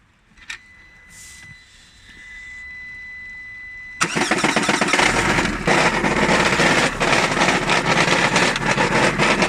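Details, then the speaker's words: 2021 Lada Granta Drive Active, 20,000 km, 10,000 km after modifications. After cranking it fires, and a steady knock of about three per second rides over the idle, with vibration growing worse. The flywheel had come loose. "то ли сцепление то ли коробка То ли маховик непонятно но шумы ужасные"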